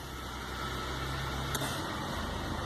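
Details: Engine at idle: the idle sags and its low hum shifts as the AC compressor clicks in, nearly stalling. The AC is wired almost directly, not managed by the engine module.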